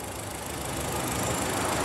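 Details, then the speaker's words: 2017 VW Voyage EA111 engine, fully warm, at idle during ignition test after misfiring began following refuelling: smooth, even idle with steady low hum, no stumble; coil signals normal, coil needs no replacement. "e aqui ó o motor já aquecido fazendo um teste aqui do sistema de ignição não encontrei nada de problema no sinal tá perfeito"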